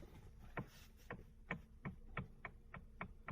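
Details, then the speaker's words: Bentley Continental GT Cabrio, engine off, steering wheel turned, heard in the cabin: sharp hollow knocks two or three a second from radial play in the steering rack housing near the firewall, not the steering column. "Несмотря на то что звук мы слышим в салоне источник звука у нас находится в рулевом механизме"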